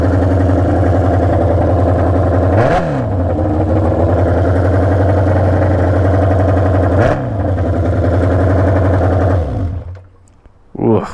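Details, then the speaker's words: Junkyard Honda CB750F four-cylinder that sat for decades, first run with battery fitted: very loud, ragged running with two quick throttle blips, then the engine stumbles and dies; runs rough, cause unknown. "oh man it is obnoxiously loud that's scary she is not happy not happy at [Music]"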